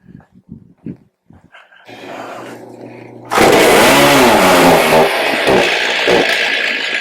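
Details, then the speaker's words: Stihl MS310 chainsaw after storage, bad gas previously drawn into carburetor: catches and runs rough and heavy, bogging badly instead of clearing out, dog barking; dirty carburetor needs cleaning. "Well, she tried to run. It was bogging down pretty bad."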